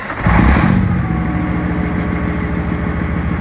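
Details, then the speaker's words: Semi truck diesel with 556,000 miles, started after engine repair (driver had reported a vibration; a dead cylinder would cause one): fires with a short roar, then a smooth, even idle with no knocks or misses. Much better than on arrival; good oil pressure, no warnings. "dang hey that's pretty smooth got a lot better than it came in"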